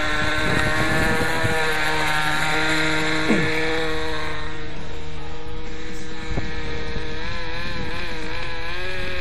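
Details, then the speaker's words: Nitro RC helicopter just started with igniter and starter, on the pad after priming and jets/idle setup: high buzzy engine holding a steady idle with even pitch, warming up; normal idle. "And once you get that right, you should start and be in an idle."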